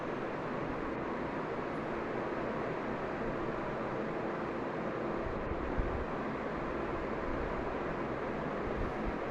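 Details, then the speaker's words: Crompton Dec'Air 2010 model ceiling fan, about 7 years old, after reassembly: steady, even whoosh of moving air with no ticking, wobble or rubbing; normal running. "Both are giving awesome performance, as you can see."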